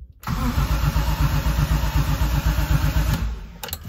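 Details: BMW E30 M3 with a swapped S54 engine, first start attempt after reconnecting a loose connector: even cranking at about four beats a second for three seconds with no firing. It won't start, with the injectors getting no power.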